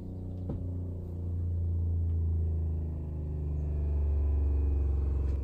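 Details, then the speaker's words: RV fresh-water pump with broken check valve, city water bypassing it into the tank: steady low hum pressurizes, stops, then restarts with no tap open, pulsing on and off; short cycling from failed check valve. "And you can hear it pressurize. Now it's finished pressurizing. And now it's starting again. That's not good."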